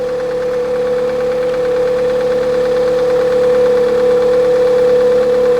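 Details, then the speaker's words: 2001 Toyota Highlander 2.4 L with battery light on and battery dying overnight, check engine light on, engine knocking: steady high whine over a smooth idle at constant pitch from under the hood; abnormal whine at idle, source unclear. "so check engine light is on engine is running let's go under the hood there is a weird noise coming from this area"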